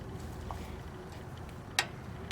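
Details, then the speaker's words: 2002 Tecumseh PowerSport 5–6 hp OHH engine, engine off, governor shaft worked by hand: two sharp metallic clicks as the shaft slips in and out. Its bore in the block has worn oval, letting oil leak out. "That governor, these motors are so poorly designed, that governor, where it goes through the block, will end up wallowing out."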